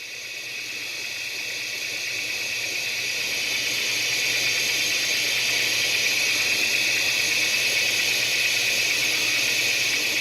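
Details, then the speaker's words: ZX Spectrum 128K +2 built-in tape deck loading a program: loading tone screeches high and steady far above normal pitch, the tape running at warp speed; cause unclear, though the program still loads. "This ain't right. Why is the tape player going about warp speed?"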